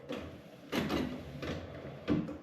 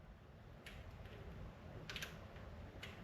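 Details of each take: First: 1962 Pontiac Catalina Safari with a formerly frozen wiper motor, taken from a parts car and freed up with lubricant: soft, even swishes about every 0.7 seconds with no grinding; wipers work normally. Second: 1962 Pontiac Catalina wiper motor, bench-tested with the case and an outer pin grounded and power on the middle pin: faint clicks about once a second with no motor whir; the solenoid clicks but the motor is frozen.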